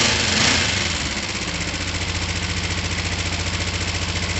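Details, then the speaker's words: Finished, repaired twin motorcycle (down pipes just wiped, so slightly smoky) starting from the button and settling to a steady, even idle at about 3.5 pulses per second with no misses; running healthy. "whatever was on it before it will start up it will run it will idle well and it'll run beautifully"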